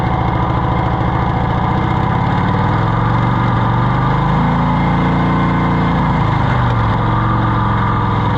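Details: Cushman Truckster auction find that fires right up but hasn't been staying running, with the throttle pushing back when held open: a steady, even run with a low chugging note that rises slightly and settles back; sounds good.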